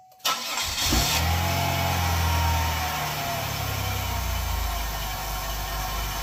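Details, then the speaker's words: Salvaged auction Buick, starting after the injector fuses were reinstalled, on a hot day: the engine catches and revs, then settles into an uneven, stumbling idle. It runs well under acceleration but sputters at idle; spraying starter fluid found a cracked EVAP purge valve. "Under acceleration, the engine runs really well. At idle, it's sputtering."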